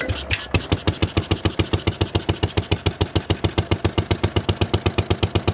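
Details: 1957 Gard'n Mast'r tractor, Briggs & Stratton series 23 9hp single, running on a temporary battery-and-coil ignition via points after decades parked: even steady idle beat with no misses.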